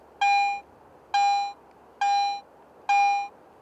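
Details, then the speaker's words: Garrett AT Pro International metal detector in Standard Mode over a silver coin: four clean, equally loud mid-pitch tones; the volume stays constant regardless of depth, unlike Pro Mode. "Listen to this silver coin in Standard Mode. Notice that the VOLUME of the response is always the same until the target"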